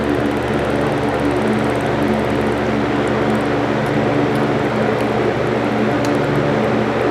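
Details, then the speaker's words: 1940 GE Vortalex 16-inch antique fan after oiling rear port and grease: steady even motor hum, smooth whir, light gear chatter, no grinding or knocking; very clean sound, healthy running. "Listen to that sound though, that is such a clean sound."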